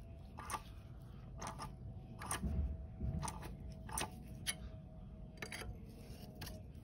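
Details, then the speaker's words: Mercedes W221 S63 AMG M156 engine, cam adjusters rocked by hand: the intake phaser gives sharp, irregular metallic clicks from excessive play, unlike the near-solid exhaust one, the cause of rattle on cold start. "this is the intake that's the one that's making a lot of"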